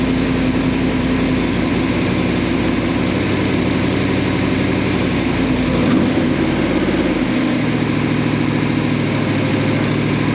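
Engine catches and settles into a steady, even idle with a smooth low drone and no stumble or skip; running healthy.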